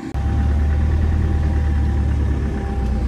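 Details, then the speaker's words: Land Rover Defender 300tdi diesel idling, steady with a light chattery clatter over the top; engine supplier unconcerned by the chatter, other noises traced to the manifold gasket and loose intake manifold studs, which were tightened. "and that noise that chattery noise they are really not concerned about it at all which is good"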